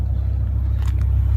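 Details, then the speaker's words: 2006 BMW M5 V10, 500 hp, 10,700 miles, idling warm: a deep, even, low rumble with a steady beat and no misses or knocks. Smooth normal idle, though RPM sometimes wavers a little on first start. "you can hear idle is pretty smooth right now sometimes when you first start her up she uh will uh kind of waver the the RPMs will waver a little bit"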